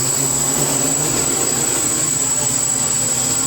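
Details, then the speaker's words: INAV quadcopter on a custom PID tuning stand, after adding some I gain to default PIDs: even, steady high buzz of all four motors with no surging, holding a stable hover in one spot with minimal drift. "how it just sits here and covers in one spot without drifting a lot"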